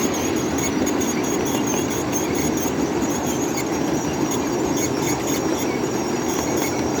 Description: listen to the brakes Squeal as we make our descent down Sand Hill at Mill Creek Central, with a Godshall Custom Machine coal fired PRR N2s.a. on the point.